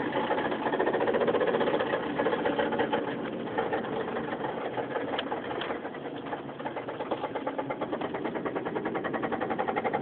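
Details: 2005 Mazda 3 while driving, after a burnout failed a connecting rod bearing and the rod broke: heavy, deep knocking about three times a second, swelling with load, some power lost; rod knock.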